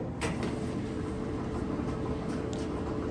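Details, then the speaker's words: Dryer running, steady rumble with soft knocking and wobbling about two or three times a second as the drum spins. "yeah you can hear the knocking wobbling sound uh as the drum is spinning"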